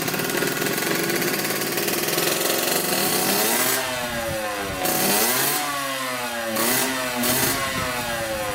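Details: 1986 Yamaha YSR 50 two-stroke, bump-started after refitting the carburetor and priming with premix: a crisp buzzy note climbs and drops cleanly with throttle blips, no misfire, running healthy.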